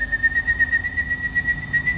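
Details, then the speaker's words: Engine running with a steady high whistle over low rumble from an exhaust leak: front-pipe flanges rotted out, whistling through the gaskets by the converters, with brackets rusted off the cats. "but exhaust leak um and what happened is the flanges rotted out and it actually whistles through the gaskets in that uh uh front pipe converters and the brackets were rusted off the cats"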